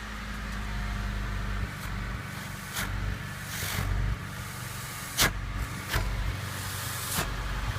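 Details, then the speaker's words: 1995 Honda Civic Si coupe, 1.6 engine, manual, after new resonator/intermediate pipe and muffler installed: low steady idle with soft even exhaust, slight air escaping at a flange when tailpipe blocked; quiet, normal. "It is quiet, and that's all we really want. So all you hear right now is just basically engine noise."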